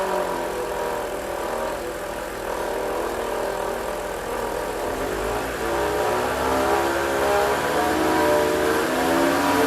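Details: BMW 325i engine running: thin whirring tone rising in pitch with revs; abnormal pulley noise on the belt drive, alternator or guide pulley suspected, not confirmed.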